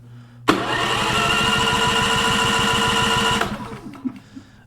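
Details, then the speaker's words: Champion 4500W dual-fuel inverter generator with a growing hard-start problem; it spins fast and easily with soft, even puffs and no firing. Compression is only 20 psi, far too low to run; spark not yet checked. "And it has, 20 pounds. It's nowhere near enough for an engine to run."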